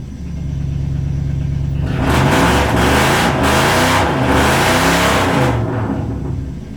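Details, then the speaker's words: Toyota Cressida with swapped 1UZ V8 after replacing the distributor cap and rotor for the non-firing cylinders, full exhaust on: steady even idle then clean strong revs, no stumble, loud; running on all cylinders after initially rough start. "yeah buddy obviously it ran like [ __ ] at first because those cylinders were so you know full of just [ __ ] cause not running and wow that is loud yeah that is the full exhaust back on it"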